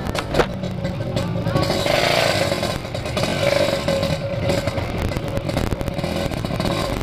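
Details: Yamaha RX King two-stroke, oversize 0 overbore, main jet 160, reed membrane and carb set: crisp, raspy revving that climbs and falls cleanly without misfire or rattle; healthy.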